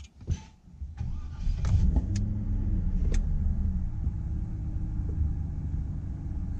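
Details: Cadillac XLR Northstar V8, after cleaning and reinstalling the variable valve timing actuator to fix a P0024 code: starter cranks briefly, then a smooth, steady low idle with no stumble; no check engine light.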